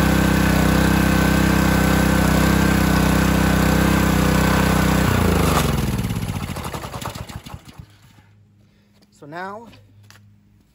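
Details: Simpson pressure washer small engine, bought as having no pressure (pump valves melted): strong steady drone at even pace for several seconds, then winds down smoothly to a stop; engine running healthy.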